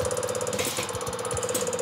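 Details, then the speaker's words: Injector on test bench, pressure slowly raised; opens at about 100–110, which is correct: fast, even, steady ticking chatter with no missed beats — normal injector operation, spray pattern checked next. "as you can see 100 110 this injector will open I'm pretty sure that this car will this injector is is good at stter"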